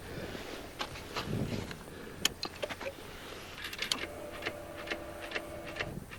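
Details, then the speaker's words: 2019 Honda Africa Twin after being dropped in icy mud: quiet, uneven light clicks with no cranking or firing, and it won't start; cause not found. "that's not a good noise and it won't start"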